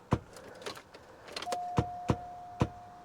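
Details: 2004 Cadillac DeVille with a Gooloo GT4000 jump starter kept two weeks in a -4°F freezer, boost pressed: single sharp clicks about every half second and a steady beep. The starter never cranks the engine, so the jump start fails.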